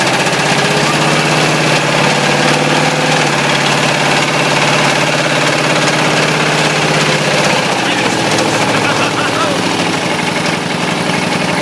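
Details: Ford 351W V8 with a spun rod bearing, abused: a steady deep clatter, about three knocks a second, keeps time with the crank over a loud idle while a hose sprays coolant, until the engine dies.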